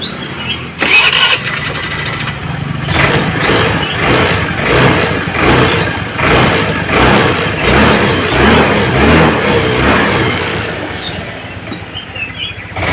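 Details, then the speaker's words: Honda Vario Techno scooter with weak uphill pull, traced to a torn carburettor vacuum diaphragm; after refitting the standard-length vacuum spring instead of a cut one, revs rise and fall cleanly with the throttle, acceleration matching throttle opening. "Jadi antara putaran grab gas dengan suara daripada suara motor atau akselerasi motor itu akan terasa sesuai."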